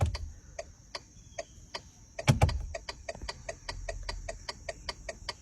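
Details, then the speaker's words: 2006 VW Touareg whose turn signal stopped working after hitting a bump; quick, sharp relay ticks about four a second, left side flashing fast, probably a bulb out on the left: turn signal hyperflash. "Left side's flashing fast, which means we probably have a bulb out on the left side."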